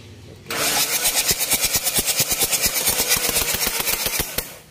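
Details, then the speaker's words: Mitsubishi Triton HDX common-rail diesel, injector test before replacement: catches and clatters unevenly at about three beats a second; symptoms hard morning starts, thick smoke, weak power, attributed to faulty injectors; pressure calibrated adequate. "untuk udaranya saat pagi susah hidup asapnya tebal tenaganya lemah Itu sudah pasti injectornya yang kena"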